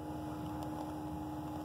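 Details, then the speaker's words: Lennox R22 1.5-ton system defrost board heard through an ultrasonic leak detector: steady loud electrical hiss and buzz from a relay, louder when closer, gone when 24 V is disconnected; relay suspected failing. "this little relay down here is just screaming bloody murder whatever is going on inside of that it is just so loud the closer I get to it"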